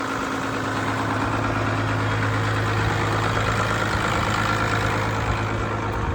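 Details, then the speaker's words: Ford tractor diesel after clearing a blocked fuel tap, running after restart: steady, even idle with a low drone and smooth regular firing, no knocks or misses; normal diesel idle. "I'm quite delighted how well this sounds it's not not s like a John Deere anything it's not as near as nice as that but for this thing it sounds pretty damn"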